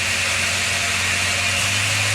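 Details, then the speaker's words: Rlaarlo RC car with Surpass KK 60A ESC, Spektrum SR215 receiver and SX5C transmitter at 100% forward throttle, before stepping to 110% for higher RPM; high, steady electric whine with no stutter or cutting out; normal high-speed running. "I will get it up to 100% forward throttle, and you hear the RPM sound, and then when we get to 110, you will hear that it's getting even higher RPM."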